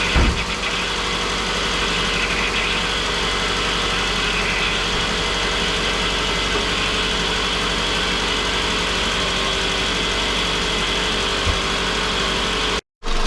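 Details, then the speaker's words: 2006 Scion tC 5-speed manual, after head pulled for low compression and valve stem seal replacement and reassembly: smooth, even four-cylinder idle with light steady hiss, no ticking or knocking; coolant bled, at operating temperature. "Alright, so the coolant was bled. It's up to operating temperature."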